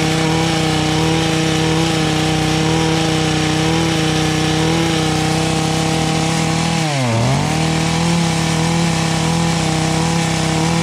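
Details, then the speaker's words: Echo HC150 hedge trimmer, first start on cold-start choke after fitting a cheap Amazon Chinese carburetor: small two-stroke screams at constant high speed with only one brief dip, no drop to idle; throttle not working, stuck high idle. "oh well guys that was pretty amazing we got a little life going to it but unfortunately the throttle was not working well and we were doing a high and absolutely high idle"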